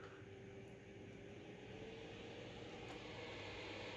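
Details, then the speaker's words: Acer Predator X27 4K monitor's small cooling fan set manually to 75%, which is normal speed; faint steady mid-pitched whine over an even airy fan rush; cooling fan whine. "let it put manually to 75 can you hear it I definitely can so 75 was like normal"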